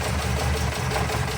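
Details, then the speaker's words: 1979 Porsche 924, first start after sitting a few years: lumpy, uneven idle with a dropped beat and diesel-like clatter; a miss, needs a tune-up (suspected). Coolant empty and leaking. "I mean she's got a miss and she needs a tune-up."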